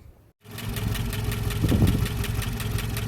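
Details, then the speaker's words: 1988 Jeep Comanche Renix 2.5L I4 after fixing timing issues and broken tension pin: catches and settles into a fairly steady low idle with a light even beat, no clear miss; a little smoother. "That's a little smoother, eh?"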